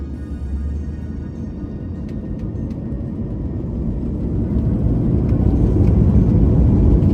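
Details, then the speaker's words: Airbus A220 takeoff on a Marseille–Paris flight, heard from the cabin: deep roar building steadily and smoothly as the engines go to full thrust, tens of thousands of horsepower each; normal. "Là, c'est mon moment préféré. Pleine poussée. Chaque moteur développe l'équivalent de dizaines de milliers de chevaux."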